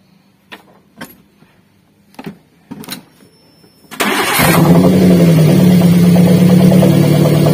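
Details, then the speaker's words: Daihatsu Gran Max engine restarted after swapping coils: the misfire moves from cylinder 4 to cylinder 3, confirming the coil from cylinder 4 is faulty. Clicks, then it catches into a rough, slightly uneven idle, a misfire from a failed ignition coil. "ketika kami tukar untuk posisi Konya ternyata untuk penyakitnya itu pindah yang tadinya untuk posisi silinder nomor 4 yang bermasalah kemudian ketika kami tukar posisi koilnya untuk yang bermasalah itu pindah ke silinder nomor tiga"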